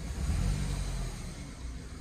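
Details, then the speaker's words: 2008 BMW E90 318 idles rough with a lumpy, stumbling beat when injector 2 is switched off in a cylinder-cut test; the misfire was traced to a faulty injector and fixed by replacing it, with coils and plugs fitted 10,000 miles earlier. "if you do injector two switch it off then you have the rough running the misfire"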